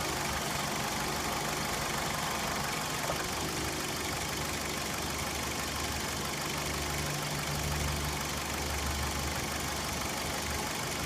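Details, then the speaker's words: 2004 Dodge Stratus 2.4L with code P0300 random misfire, occurring only under load in drive or reverse: uneven stumbling idle with dips about three a second. The cause was found to be an arcing boot on an original spark plug wire. "now there's the misfire see how it just keeps dropping out there it is there it is there's a misfire right there dropping out it's pretty steady there"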